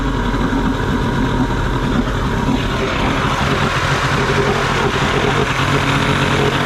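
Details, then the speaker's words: Johnson 60 hp two-stroke outboard after starter replacement: busy, buzzy idle with steady rumble and no misses or knocks, running evenly though without water flow. "reliable it's idling with no water need water flow is possible"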